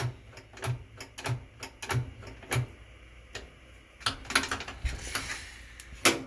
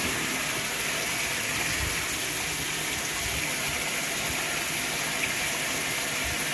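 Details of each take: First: Whirlpool washer with bad lid safety switch: only light, uneven timer ticks and clicks, motor fails to start; faulty lid switch, to be bypassed by wiring its two wires together. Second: Whirlpool top-load washer filling on a small load with cold water: a steady, even hiss and rush of water with no surging or buzzing. The washer is filling normally.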